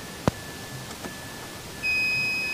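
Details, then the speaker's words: 2012 Mitsubishi Mirage Exceed automatic, used-car inspection, OBD2 scanner plugged in with ignition on: short sharp chirp then steady high electronic tone over room hum as it connects normally; later scan showed no fault codes. "untuk soket Tubidy duanya posisinya dia di sini sudah masuk saya akan kontak on kita tunggu sampai terkoneksi"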